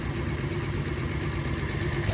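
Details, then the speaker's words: Engine idling after a rebuild of its Solex Mikuni Type R carburetors and refitting of a return spring: steady, even low idle with no stumble, hunting, throttle hang, knocks or ticks. "No stumbling, which is good. No throttle hang. Put another spring back on. It's not hanging anymore. Seems to idle really well. Sounds good."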